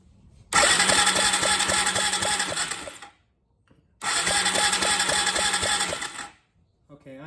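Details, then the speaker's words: 2003 Yamaha TT-R225, spark plug out and grounded for a spark test: two bursts of steady starter whirring, each about three seconds, no firing; cranks but won't start, fuel present but no spark. "not seeing any spark whatsoever and i'm definitely smelling fuel coming out of the uh spark plug hole so it is definitely getting fuel but it is definitely not getting spark"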